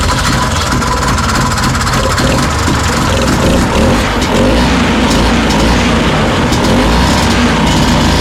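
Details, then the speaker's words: 1969 Ski-Doo Olympic 320 two-stroke snowmobile after fitting a temporary auxiliary gas tank with shut-off valve, replacing a rusty original tank, carburetor adjusted: loud busy buzz holding steady speed with no misses or sputters; normal running. "it's as good as I can get it right now done some adjusting with that"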